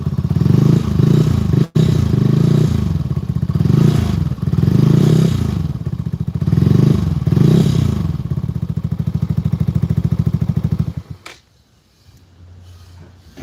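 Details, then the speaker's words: Benelli 135 motorcycle at steady idle with a loose, irregular metallic rattle about three times a second. The source is hard to locate; a loose vibrating fender is suspected. Cause not confirmed. "Uh-huh. Some noises gone, but not all of it. Yeah, And your fender vibrates just like how mine did when mine was loose."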